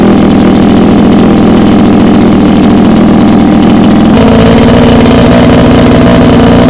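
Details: Mini water-pump engine, two-stroke on mixed petrol: hard to start, and once running it races at constant high speed and won't throttle down, never dropping to idle; cause being checked during service.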